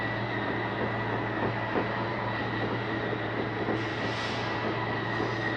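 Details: 2021 Columbus 378MBC RV, bunk room slide-out being brought in; steady even electric motor drone with constant low hum, no catching or grinding, slide retracting normally.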